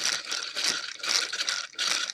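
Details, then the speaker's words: Wall-E Thinkway robot toy after repair of a non-spinning track with a press-fit aluminium tube from an old FM antenna: fast, light, even plastic gear chatter with no thumps or grinding; track drive turning freely and healthy. "that sounds and looks like it's doing the job."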